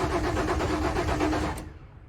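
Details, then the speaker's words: Ford Ranger pickup with crank no-start caused by a failed fuel pump: steady, even starter cranking with quick regular pulses for about a second and a half, never catching; starter and battery working but no fuel delivery. "and you turn it on, and you turn it on, and everything sounds like it's going great. The engine's turning over, it's cranking, it's doing everything it needs to do."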